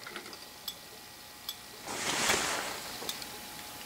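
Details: Thermal turn signal flasher bench-tested with a battery, bulb and knife switch: faint crisp clicks about every 0.8 seconds over a quiet background, as a heated metal strip changes shape to open and close a switch; normal cycling.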